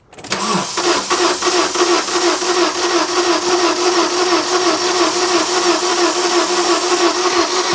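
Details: Fiat Doblo van broken down on the M25, cranking after a boost charge. The starter spins the engine fast and evenly, about three beats a second, never catching or coughing.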